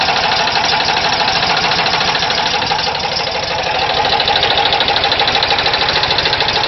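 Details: VW Type 4 air-cooled engine at idle: sharp metallic knock at roughly three beats a second with a loose rhythm; origin unknown.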